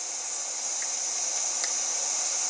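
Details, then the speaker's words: 6.0 Powerstroke diesel, air test after the injectors and oil rail were reinstalled: a steady thin hiss still in the same area; suspected leaking oil rail nipple O-rings, rail to be pulled to replace them. "the nipple O-rings look to be possibly leaking because I can still hear it basically in the same area"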